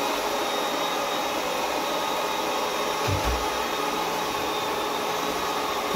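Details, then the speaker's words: Ecovacs Deebot 901 robot vacuum, cleaning run after repair of a fault where it left the dock but couldn't orient itself: smooth whir of suction fan and brushes with a thin whistle, no grinding or clicking, turning perfectly. "you can see now, it's turning perfectly, it's not touching"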